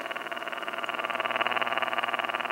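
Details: Pioneer RT-1020L reel-to-reel tape recorder with tape running; steady hiss wavering about fourteen times a second, tape transport flutter on one side.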